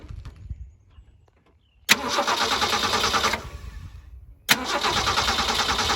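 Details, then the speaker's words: Project T-Code after radiator replacement, cooling system burped of air, fan belt tightened: starter cranks, engine catches, settles to even idle, no knocking, hopping or belt squeal; normal start and idle. "Notice it doesn't hop around as much anymore. That's kind of interesting. And especially compared to the last video when it was burping, you don't hear it knocking anymore."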